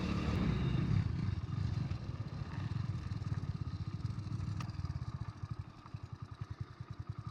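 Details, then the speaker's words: 27-year-old Hero Honda Splendor Plus on E20 ethanol petrol, riding: uneven chuffs near three per second with sharp pops while coasting down; owner says it is misfiring, cause unconfirmed. "ये देखो पटाखे दे रही है भाई गाड़ी। इसका मतलब miss fire कर रही है।"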